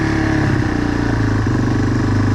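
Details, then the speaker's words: Yamaha 225XT dirt bike right after its carburetor was removed and cleaned, started on choke. It catches and revs cleanly with smooth rises and falls, no stumbles, and pulls through the gears; runs healthy. "Way better already. Nice. Oh yeah."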